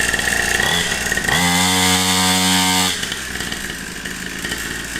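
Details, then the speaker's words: Cheapest Temu 2-stroke pit bike, 49cc two-stroke engine, after pull-starting with choke: raspy high-pitched buzz revs up, holds a steady crisp pitch, then drops to idle, sounding like a chainsaw; normal healthy running. "Oh, it sounds mean. I'm kind of into it."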